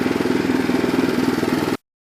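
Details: Restored Troy-Bilt Horse tiller in low gear, tines set deep, test tilling through rocky soil: small single-cylinder puttering at an even steady beat, no misses or knocks; brief belt squeal once when it seemed to hit a rock; running well.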